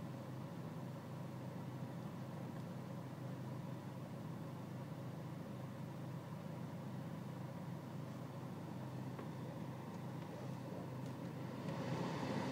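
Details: BMW E46 320cd diesel idling with low engine and outside temperature: lumpy, uneven beat of about four pulses a second instead of a smooth hum; rough cold idle, air-mass and selective mass adjustment checked in INPA.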